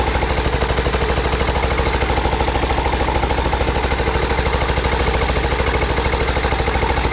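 Busy metallic clatter pulsing about three times a second over the single's idle; sounds like a loose rattle, maybe the timing chain.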